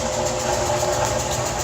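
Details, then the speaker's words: Kenmore HE washer Model 417 final high-speed spin after a homeowner repair of the twisted door seal, sagging drum and springs: smooth, even, steady hum with no thumps or banging, unlike the earlier banging and dancing; now balanced. "final spin nice is steady nothing like it was before"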